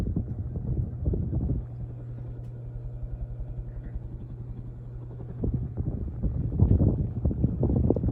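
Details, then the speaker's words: NuTone Verandah Deluxe ceiling fan after rewiring and oiled bearings, running at highest speed: steady low hum with soft rhythmic thumping about four times a second as the fan vibrates. "So this is the highest speed on the variable speed setting. And this is straight up high. It does vibrate a little bit. That's why it made that noise."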